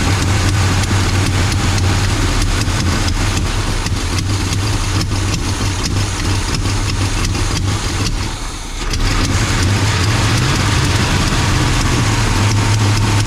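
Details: 1984 Chevy C20 truck first started after years in storage, with a distributor from a '72 installed and no exhaust manifolds fitted: deep, even V8 burble at a steady idle with one brief dip that recovers, and no knocks or misses.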